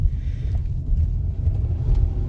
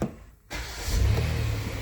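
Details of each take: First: 2019 Kia Sorento 3.3L V6, 84,000 miles, under hard acceleration: deep, uneven lumpy stumbling rumble; scanner shows cylinder 6 only misfiring, none at light throttle; torn ignition coil boot. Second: 2019 Kia Sorento 3.3L with a misfire complaint, idling while a scanner shows no misfire counts. It gives a steady, even low hum with no stumble, just before the suspected cylinder 6 coil is unplugged to confirm it.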